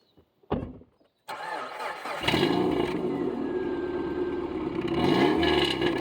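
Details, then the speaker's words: Subaru after thoroughly cleaning the mass airflow sensor with Q-tips and brake clean: brief starter crank, then it catches and settles into a steady, even idle with no stumbling; now running right. "Fixed it. Well, we got the Subaru running right."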